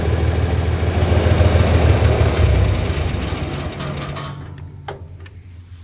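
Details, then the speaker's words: 4020 LP tractor ("Hank") at low steady idle: vapor valve closed, then liquid valve closed; engine holds a few seconds, beat softens and fades as remaining propane burns off, then dies — normal shutdown procedure per operator's manual. "now the liquid valve is closed and after several seconds the engine will die"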